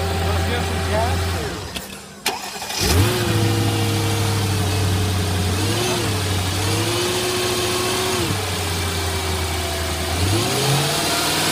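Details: Mercedes W220 S55 AMG, 5.4 supercharged M113K V8, after supercharger pulley bearing replacement: cranks and catches at once, smooth steady idle, no bearing whine or chirp; running healthy.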